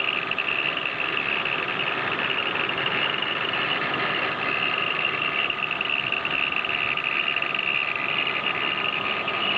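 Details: 1997 BMW E36 320iA, rattling only at idle around 500–700 rpm; fast tinny chatter over quiet steady idle. Cause: original old-style spring belt tensioner resonating; replaced with newer model, noise gone. Water pump and pulleys already replaced.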